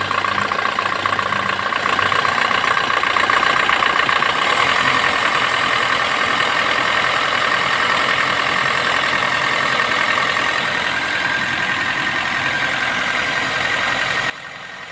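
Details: Suzuki Swift engine; steady, even idle with no whirring or grinding from the front of the engine, running smooth and quiet.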